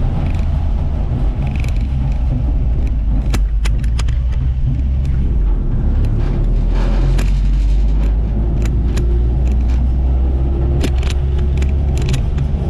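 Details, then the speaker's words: 1958 Ford F100 panel truck driving on the road: a faint, steady rear axle gear whine over low road rumble. It is normal, and the rear end is making the right noises. "Rear end's making the right noises. You know, you can hear the gear whine for sure."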